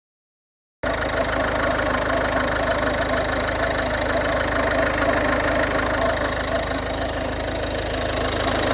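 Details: 2011 Ford Fiesta 1.4 TDCi diesel at idle; constant whirring, rattly hum over the clatter, owner unsure if pulley or failing alternator; abnormal noise at idle.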